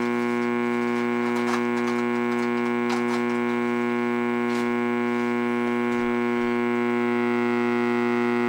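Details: Radio audio amplifier at full volume with no input, run from a wall-wart supply instead of the quiet transformer/LM-regulator supply: steady low buzzing hum with faint clicks, still present with a capacitor across it; wall-wart power supply blamed.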